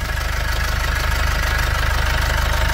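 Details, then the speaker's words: 2005 Nissan X-Terra with the MWM Sprinter turbo diesel at idle: a fast, even crackling rattle rides on every firing pulse, coming from a loose turbocharger heat shield. "perceberam o barulho aqui no escudo térmico da turbina aqui ó"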